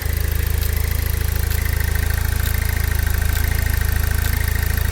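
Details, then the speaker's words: Pontiac Solstice GXP that sat for years, first start during restoration: warm petrol idle with a steady even low pulse and faint belt whine, belts turning, no leaks, running normally. "Um belts turning, everything is running right."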